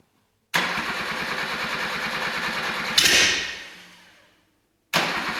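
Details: Rebuilt Suzuki SJ410 F10A engine on its first start, mounted temporarily on a frame with a makeshift wiring harness and a small problem noted: the starter churns about two and a half seconds, stops without catching, then cranks again; extended cranking.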